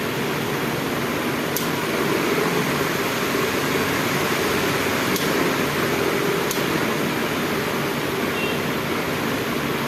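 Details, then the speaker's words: DC pedestal fan that ran on only one speed, after rewiring the speed selector connections, on the next lower setting past 2 at reduced speed: steady, even airy rush, no ticking, rattle or wobble. Normal running. "अभी 2 पे थोड़ी सी speed कम हो गई। अभी उससे भी थोड़ी सी speed कम हो गई।"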